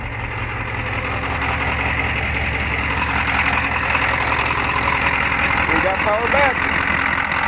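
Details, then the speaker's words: 1988 Ford F-250 6.9 IDI diesel just started after fixing a no-start from a bad battery positive connection: steady injection clatter with even rumbling fast idle, no misses or knocks; healthy. "You got to love the old IDI rumbling. It's popping along like that. That's that fast idle fit."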